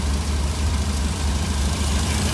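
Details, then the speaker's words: 1966 Cadillac 7 L engine with Holley Sniper EFI, IAC unplugged at 0%, target about 750-780 rpm; low even idle thrum holding one steady speed, no hunting when the IAC is not ECU-controlled. Steady idle. "this is the smoothest it will ever be on this sniper on this 7 liter motor so I'm happy with this"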